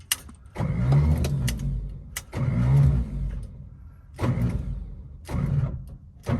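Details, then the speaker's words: 1955 Chevy revival attempt after spraying into the intake to check for fuel/spark: the starter cranks in repeated one-second bursts with pauses and never catches. Owner notes a bad flywheel spot and suspects it may be the starter; unconfirmed. "he things that i did know about the car is that it's got a bad spot on the uh on the flywheel i think um i mean it was turning over good it seemed like"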